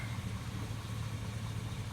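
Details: GMC Sierra Z71 4WD pickup running a steady, even low idle with no stumble or shake and a smooth deep rumble, after two bad fuel injectors on cylinders 5 and 7 were replaced to cure a misfire.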